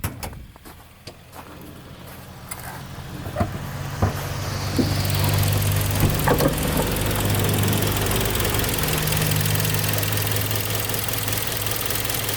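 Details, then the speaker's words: 2012 Kia Sportage 3, G4KD engine, 76,000 km, after overhaul, hot: rising rumble settles to even steady idle, smooth low hum, no knocks or ticks, engine quieter than before, no extra noises; normal idle. "машинка горячего прогрелась никаких лишних шумов не появилось все притянулась двигатель стал работать ещё тише"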